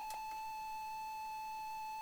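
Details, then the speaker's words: ZX Spectrum cassette of Hot Shots loading: a steady high-pitched pilot tone holding one note with a few faint clicks, from an unusual custom loader that pauses the tape. "that's weird that's so weird what a load weird loader this is very weird"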